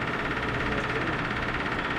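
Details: Cold first start of a 383 big-block V8 with solid lifters and new cheap headers in a lowered 1974 Dodge D100: uneven lumpy idle with a faint knocking edge, rough idle; cause unclear, timing advance tried afterward.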